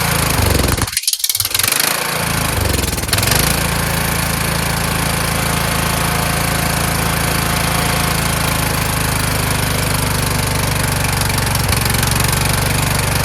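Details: Kohler Courage engine on a tractor, after a cylinder head swap, carburetor replacement and valve lash adjustment, started on choke; it bursts into life, then a loud uneven beat of about four per second hunts rather than holding steady. Owner suspects the throttle bracket.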